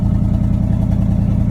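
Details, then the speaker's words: 1979 Chevrolet C30 truck with a carbureted V8, newly revived with a battery put in and a rigged gas can to the fuel pump, a weak starter suspected: a steady, even low beat ticking over with no knocks or misses. Normal running. "Overall, she sounds good."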